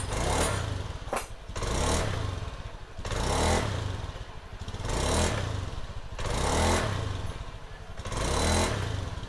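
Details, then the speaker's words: Honda Scoopy scooter after replacing the faulty ignition coil that caused hesitation on initial throttle; repeated quick throttle blips rise and fall cleanly without sputter or hesitation, pulls smoothly, fixed. "Ya itulah tadi hasilnya setelah diganti foil dan ternyata koyak Aulia bro"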